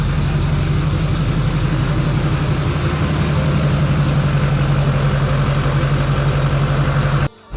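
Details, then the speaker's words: 2004 GMC Yukon with an LBZ Duramax swap, codes just cleared: a steady, even diesel idle with a low drone and turbo whine, no misses or knocks, running smoothly. Stuck turbo vanes or a vane sensor were suspected earlier. "i do hear the turbo uh kind of like duramax jet engine sound better than i i feel like i did the other day but i don't know we'll see she is running pretty smooth it seems"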